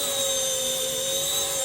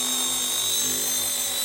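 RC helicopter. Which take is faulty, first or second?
second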